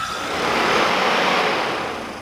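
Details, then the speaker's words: 1986 Kawasaki GPZ1000RX radiator fan bench-tested off the bike, battery connected and switch wire grounded, without the extra ground strap: smooth rushing whoosh swells and eases, no ticking, scraping or grinding; fan works normally. "alright well that clearly works so i guess i don't need to have that redundant ground strap on there so cool"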